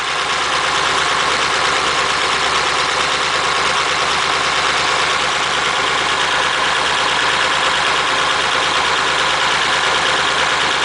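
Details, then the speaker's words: 276-inch flathead V8 in a Model A roadster on '32 rails, warming on choke after about 18 months parked: even, steady idle with constant rumble, no tapping or stumbling; owner remarks how nicely it runs after sitting. "I just let it warm up a little bit oh come on [Applause] don't want that much choke does it oh come on turn the cake I think I'll just uh knock the fan on yeah just knock the fan when I'll ENT in come on engine just pick the slack up a little bit it's amazing is it how it runs nicely after been parked like that"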